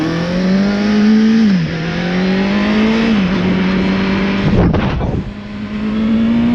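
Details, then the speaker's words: Motorcycle after a small exhaust leak away from the headers was spot welded: engine revs and drops back smoothly on throttle-off with no backfire or popping; exhaust sealed, quieter, power restored. "And no more backfire. Every time I let go of the throttle, RPMs fall. It's bop, bop, bop, bop, bop."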